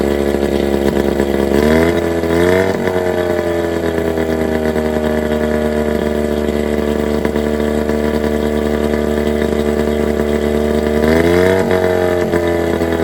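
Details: 1987 Johnson 9.9 long-shaft outboard, cold start on muffs with choke and primer bulb: catches, blips briefly, then steady, even buzzing idle with clean consistent firing; sounds healthy.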